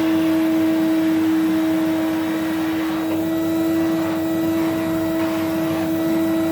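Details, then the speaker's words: 1970 Electrolux Z91 vacuum fitted with a later replacement motor because the original died: steady, even motor hum at a fixed high note with no roughness, not the deep resonating hum of an original 91; works as a usable vacuum. "That is not how the 91 should sound when it's winding down. And it should be the sort of the nice deep resonating hum that you get with um say like my 87 or my 94."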